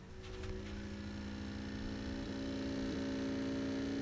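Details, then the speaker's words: Hard drive in a network file server during a quick self-test, described as new but showing 92 power-on hours: steady wavering hum with uneven ticking and clicking that then stops; abnormal hard drive noise. "What the hell is going on in there? Oh, it's stopped now. I don't like that noise. It sounds like it's clicking now."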